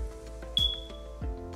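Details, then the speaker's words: CO alarm low-battery warning: a single short, high-pitched chirp over soft background music, the CO alarm's low-battery chirp pattern. "This is what a low battery chirp sounds"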